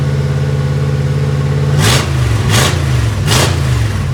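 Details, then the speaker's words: 1955 Chevy Tri-Five barn find with a V3 Vortech supercharger, start-up after correcting distributor timing (it had spit back through the throttle body): a high, lumpy idle with three crisp throttle blips that pick up cleanly; sounds healthy. "she sounds on it now dude what do you think about that I love it dude I'm digging on it"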